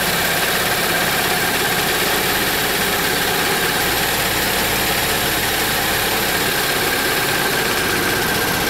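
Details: 2007 Saab 9-3 2.0T, codes P1682 and P0201-P0204, intermittent rough running, gas smell and smoke: loud uneven lumpy running under constant hiss as injectors stay open and flood it; ECM injector drivers suspected.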